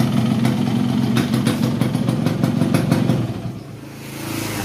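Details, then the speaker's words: 1990 Yamaha RX King two-stroke after an engine restoration with many parts replaced, including the block, and a fix for neutral slipping into 1st or 2nd. Light throttle blips rise and fall cleanly with crisp crackle and no knock or rattle; the engine is normal again. "oke teman-teman di sini untuk motornya sudah dalam keadaan hidup jadi alhasil barang yang kita ganti semuanya itu motor ini sudah normal kembali mulai dari bunyinya Oke kita akan coba untuk gas tipis-tipis"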